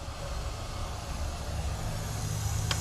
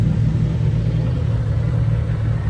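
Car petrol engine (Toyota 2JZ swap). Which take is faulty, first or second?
first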